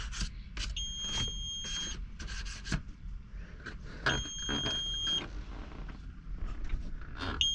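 Repeated high two-tone beeps in short runs over a low rumble and handling noise; a cab warning alarm, cause not yet known.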